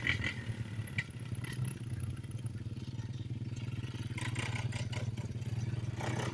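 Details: 1987 Kawasaki Mojave 250 ATV after repairs (tube in tire, other tire plugged), riding: steady single-cylinder thump picks up pace with throttle, no rattle or misfire; healthy engine.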